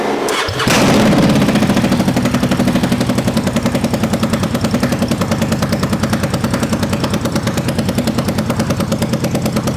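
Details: 1000cc Honda VTR Firestorm V-twin swapped into a 1969 Wheelhorse Commando 8 mower: fires up and runs with a loud, uneven, lumpy beat, starved and cutting out. The fuel pump is suspected of not running properly; not confirmed.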